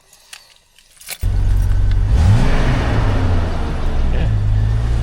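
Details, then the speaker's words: Jeep XJ after custom cowl intake mod (stock airbox with 3-inch flange and duct hose to the cowl): short crank catches, revs flare once, then steady even low idle with no knocks or misses; sounds no different than before. "doesn't really sound any different. Feel a little bit of air."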